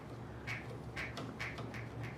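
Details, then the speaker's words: A spinning bike wheel gives a squeaky swish about twice a second as the V-brake pad rubs the braking track, caused by uneven spring tension; fixed by tightening the spring screw with a Phillips screwdriver. "So this bike, as you can hear, is rubbing against, the pad is rubbing against the brake track."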